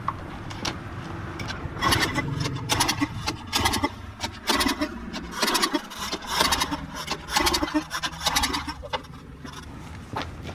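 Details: Troy Bilt 2800 PSI pressure washer, model 020568, Briggs and Stratton engine, fresh gas, air filter off: repeated rope pulls about once a second spin the engine but it never fires. Carb cleaner makes it fire briefly. No-start from a clogged carburettor main jet.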